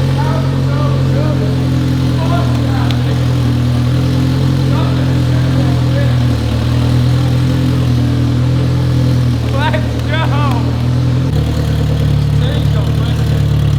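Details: 1993 AWD turbo K-swapped 1000 hp Honda, fresh self-built blueprinted engine, first run with good oil pressure: deep, even idle holding one steady tone with no misses or knocks. Sounds healthy, though a cylinder 1 misfire issue was noted later.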